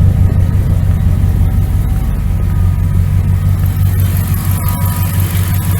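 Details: 1999 Dodge Ram 1500 5.9L V8 gas after new starter, belt tensioner and idler pulley (old pulley bearing rough): steady low idle with an even, smooth beat, no knocks or belt squeals; normal idle.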